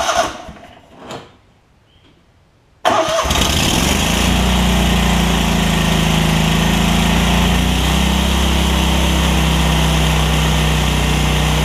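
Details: Lincoln Ranger 8 welder generator, Kohler CH20 V-twin after fuel pump, fuel line replacement and carb clean, air cleaner off: silence, quick crank, catches at once and settles into a steady even idle; normal start and idle.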